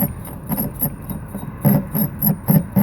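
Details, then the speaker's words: Key duplicator machine, calibration by hand-turning the cutter against the key: light scraping ticks about three or four per second, just grazing a high spot; cutter depth set right. "and if I put some more pressure on this side, I can make it grind a little more, but that's right about where we want it."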